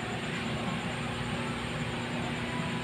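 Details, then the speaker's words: Exhaust fan motor (6203 bearing) after cleaning, previously grinding: smooth steady airy whoosh with a faint even hum, no grinding or rattle; quiet normal running. "So Ayun oh Ang Ang sarap ng tanog so Ito naman yung ah before so ito yung before"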